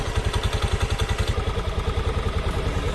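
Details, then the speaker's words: Honda Beat FI scooter at idle or on a cold morning start: a rapid, regular klak-klak clatter of about 3.5 knocks a second from the rear CVT pulley, caused by worn variator rollers and housing. "Penyakitnya, jadi ketika langsam atau pagi baru dinyalakan itu bunyi klak klak klak klak klak klak klak gitu ya."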